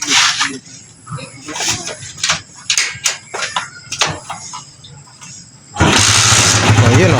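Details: Rusi Macho 150 single-cylinder motorcycle that would not start despite strong spark, after the carburettor slow jet was replaced: handling clatter, then it fires up and settles into a steady, slightly raspy idle; normal start and idle.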